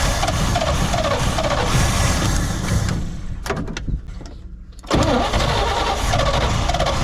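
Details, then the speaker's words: 1972 C20 pickup revived after over 20 years in storage: runs rough, nearly dies for about a second and a half when throttle is given, then catches and picks up; owner suspects a failed accelerator pump needing carburetor work. "well i bet that accelerator pump is probably kapoot's might need a little carburetor work but it will run"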